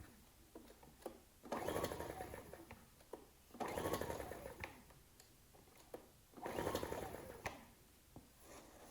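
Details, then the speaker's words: Ryobi RIG1000 inverter generator, on spray starting fluid, choke on and off: three rasping pull-start bursts about 2.5 seconds apart, spins but never catches; good compression, nearly fired; cranks, no start. "i was trying all sorts of choke on choke off that's a good compression oh oh sounded like it wanted to go then"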